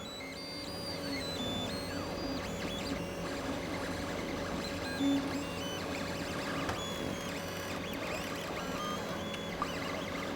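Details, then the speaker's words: New Bambu 3D printer printing a purge skirt: soft stepper whirs and quick rising and falling motor tones as the head moves, nothing harsh or knocking; as loud as it gets — normal printing noise. "that's as much noise as it ever makes. Now I'm upstairs here, so in the bedroom, which is a room away, I can leave the door open, let this print. It doesn't bother me at all. I can't hear it."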